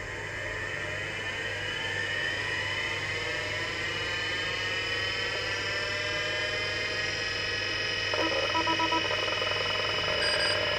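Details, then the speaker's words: Seagate ST-251 hard drive in a Wyse Technology 286 2112-40 under repair, test spin-up: steady whine climbing smoothly in pitch as the platters reach speed, faint head chatter, a healthy old drive spinning up. "might as well give the old hard drive a bit of a start-up while I've got it all hooked up just so you can have a listen beautiful noises"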